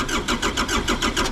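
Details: Cheap used excavator diesel being started; steady starter chug at several beats a second that never catches or picks up, cranking but not firing; it later started after being given heat and ran.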